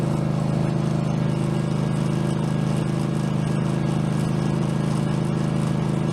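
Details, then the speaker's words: Craftsman garden tractor, possibly Kohler engine (badged 22 hp, possibly 18 hp), after mower deck blade spindle replacement, no play in spindle: even, steady drone with blades spinning, no knocking, grinding or wobble; running clean. "But let's go ahead and see what happens when we fire this blade up."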